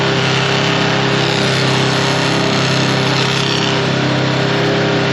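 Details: 2021 Can-Am Commander Max held at high revs before the carrier bearing is replaced with a Sancraft carrier: a rough metallic driveline rattle and vibration over the steady drone. The new carrier later reduces the rattle but does not remove it.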